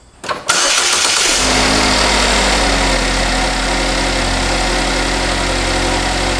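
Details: GM 2.0/2.4 L four-cylinder (Cobalt, Equinox, Terrain) after spark plug change, fires at once and settles into a smooth, even idle with no misfire stumble or ticking; normal start and idle.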